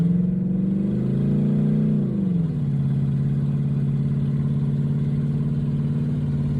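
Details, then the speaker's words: Ford Mustang 4.6 V8 after intake replacement meant to stop coolant entering cylinders 5 and 6, still warming up at idle: idle drops pitch and briefly stumbles, then evens out; unresolved, owner guesses spark plugs or a wrong hookup. "You hear it right there? Kind of broke up for a minute."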